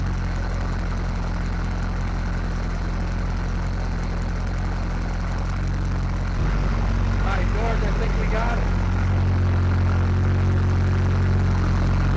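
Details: Small-block Chevy 350 V8 in a '55 Willys wagon, running off a temporary tank after plugging a manifold vacuum leak: steady low even idle settling slightly lower midway; normal idle, carburetor still needs adjustment.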